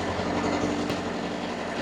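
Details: Steady diesel drone with a constant hum, no knocks or surges, from a two-compartment trailer reefer (C1 front, C2 rear) being set to C1 6 and C2 15 degrees; normal running.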